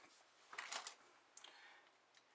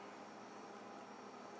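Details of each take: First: Upright Frigidaire freezer not cooling, reading 72 to 65 degrees with constant clicking: removed compressor start relay shaken gives faint clicking rattle of loose internal bits, with corrosion inside; failed start relay. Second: Upright Frigidaire freezer after a part replacement: soft, steady compressor hum with even whir, no clicks or rattles; compressor working, side warm, temperature dropped from upper 80s to 56 degrees in about 10 minutes.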